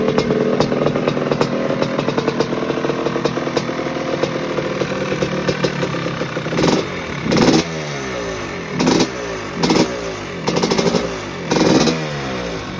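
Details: 1986 Maico GM Star 250 (M-Star) two-stroke, first warm-up after rebuild fixing a head problem: crisp ringing idle, then clean sharp blips rising and dropping back evenly; healthy, revs freely.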